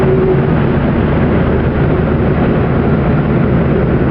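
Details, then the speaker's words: 1969 Saab 96 on road at 35 mph in fourth gear, windows up: steady even drone with no whine; transmission smooth, clutch great, engine smooth with plenty of power. "no wine to it transmission's smooth as silk clutch is great engine's smooth lots of power there"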